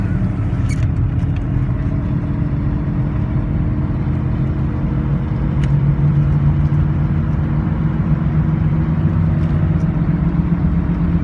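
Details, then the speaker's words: Engine idling after exhaust manifold collector leak was sealed with epoxy; steady low idle, smooth muffled rumble, exhaust sound only from rear mufflers, no puffing or ticking at the manifold: repair successful, normal idle. "Alright, sounds like it's sounding pretty good. The only type of exhaust sound that I hear is just the mufflers in the back. I don't hear any type of, type of lullaby up here."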